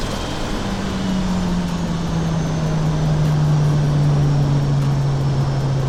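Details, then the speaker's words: 2JZ-swapped BMW E36 on a test drive after the surge tank install, running just 0.5 bar (7 psi) of boost: a strong, smooth engine drone whose pitch sweeps evenly with road speed, with no misfire or knock; normal turbo engine under boost. "Nothing crazy though, just 0.5 bar or 7 psi of boost, which means this 2JZ is barely breathing, but it's just enough to have some fun."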